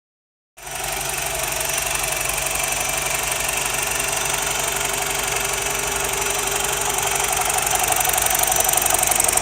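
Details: BMW E87 120i petrol engine at idle with a fast, even ticking rattle on top that makes it sound like a diesel; source of the rattle unknown.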